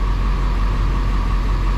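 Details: 2000 Ford F250 Super Duty 7.3 diesel, about 500,000 miles, right after turbo rebuild and exhaust repair, glow plugs not yet fixed: deep, even diesel rumble with a faint steady whistle on top, no knocking or misses; idles healthy.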